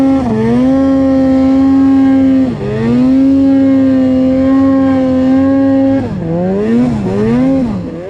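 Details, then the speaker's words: Arctic Cat C-TEC2 800 Mountain Cat snowmobile two-stroke, rebuilt after piston-skirt failure at 4000 miles with new case halves, pistons and rings: strong steady drone with clean throttle dips and pickups, running hard with lots of power. "pretty good head on the snow for a couple days three days running hard running steady lots of power so things are working really good"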